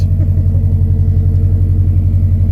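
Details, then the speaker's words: Subaru Forester XT turbo engine with the turbo shooting oil into the intake, which must be burned off by driving, through a cobbled pass-through muffler exhaust: deep, steady low rumble with even pulses, no knocks, rattles or whistles; running smoothly. "Well, I'm stoked. This thing sounds great."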